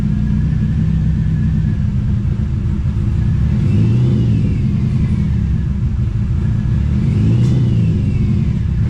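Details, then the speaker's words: TVR Cerbera running badly with original coils and nothing yet replaced, given small throttle blips: it revs up from an unsteady idle, stumbling and uneven. "oh that's enough of that yeah really don't like running it when it's running that bad"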